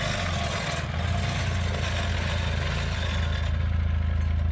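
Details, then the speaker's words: Small go-kart engine, first running after sitting about three years, with carb cleaner and choke used to start it: an even, steady low thrum with no misses or knocks, and it idles and runs well (about 35 mph). It still needs some tuning. Normal. "The motor definitely cleared itself out. It runs awesome now. It idles. It runs good."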